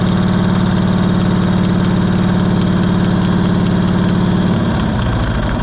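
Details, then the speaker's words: Cushman Truckster auction find being revived: fast steady chugging for a few seconds, then stumbling and sagging until it won't keep running. Owner suspects it isn't getting enough fuel, possibly a plugged filter or air in the line, and may need a new carburetor. "okay just run a little while let's make up our mind that we're going to run man thought we had her I say it's not getting enough fuel"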